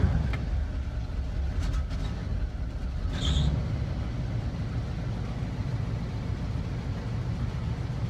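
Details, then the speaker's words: 1978 GMC Diplomat/Vandura Class C motorhome after repairing a shorted dual fuel tank toggle switch, running on the right tank: steady, even low rumble with light clicks and no stumble or cutout; engine runs normally. "And it is still running."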